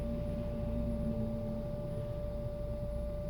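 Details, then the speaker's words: 2005 Volvo S80 coasting off the throttle, check engine light on with a mass airflow sensor code: a steady high whine over low road and engine rumble that stops on the gas, isn't tied to rpm or wheel speed, and persists when braking. "I want you to listen to the whining noise when I'm off the gas and when I hit the gas it goes away so it's not consistent with rpms or with wheel spinning"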